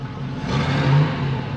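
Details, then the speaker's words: 1978 Pontiac Formula Firebird 350 V8 with a stock two-barrel top end. Deep muffled rumble swells on a brief rev, then settles, sounding choked and flat; restrictive exhaust from cast-iron stock manifolds into a single collector, single pipe, muffler and tiny split duals. "you can tell it's restricted it's actually just cast of course cast iron stock manifold into a single collector and then back single into the muffler where it splits off into our DU here and every bit of that exhaust is Tiny"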